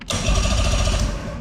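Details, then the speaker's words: Fishing boat (Spectrum fish-and-ski) not started in at least 3 years, battery fitted: bilge pump switched on gives a short, even electric motor buzz and steady hum, no grinding or rattle; pump works normally, horn also works. "believe it or not horn Works built pump works"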